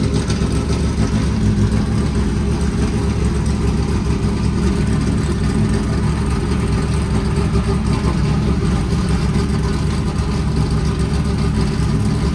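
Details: 1989 IMSA GTO Corvette V8 just started after 3 years, rear raised: deep, lumpy rumble holding a steady idle with no knocks or misses; normal idle.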